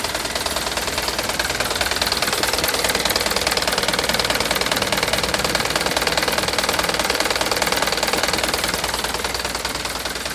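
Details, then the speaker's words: Mitsubishi Canter diesel truck idling: fast, even tick about three a second over smooth clatter; likely valve clearance adjustment, tick usually fades slightly with throttle; unconfirmed. "Ini suara klep, kayaknya ini suara klep ya, tik klep."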